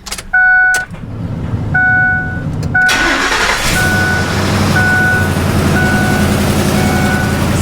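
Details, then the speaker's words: Ford F250 5.4 3-valve, microphone underneath after repair for low-RPM ringing rattle: chimes, quick start, smooth even idle with no rattle; test drive later fine, no check engine light, not transmission; normal start and idle. "Just got back from a test drive and everything went flawlessly. No check engine light and no more noise, so that's good."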